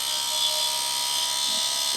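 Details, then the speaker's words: Quantum SCSI hard drive in a Mac IIsi, powered up: a steady high buzz with no spin-up rise. The drive is trying to spin but never gets going; a failed drive, not spinning up. "this hard drive is not working though it is not working not even spinning i hear trying it's trying to spin come on let's hit it making weird noises"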